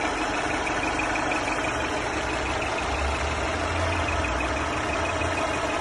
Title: Mercedes E350 Coupé pfeifende Motorgeräusche